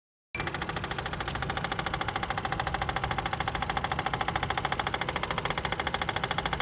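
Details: Toyota 2JZ engine at idle: steady, fast metallic knocking runs evenly throughout, a clear internal engine knock of unknown origin.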